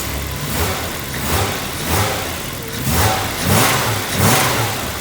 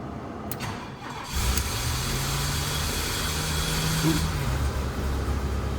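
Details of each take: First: BMW E30 after new distributor, spark plugs and wires to cure misfire and bogging: repeated throttle blips climb and fall crisply without stumbling or hesitation; clean revving, no longer bogging. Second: BMW E30 petrol engine starting, with rough idle and suspected misfire, before fitting new distributor, wires and spark plugs: cranks and catches with a brief whirring grind as the starter sticks engaged after firing.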